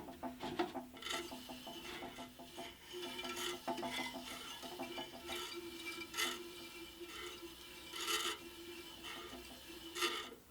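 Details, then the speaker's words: Scheppach HBS20 band saw, unplugged, wheel hand-turned while adjusting a new blade's tracking and bearings: irregular soft rasping scrape every second or two; suspected to be the brush rubbing the blade, not confirmed. "Actually, the scraping sound may actually be this brush here."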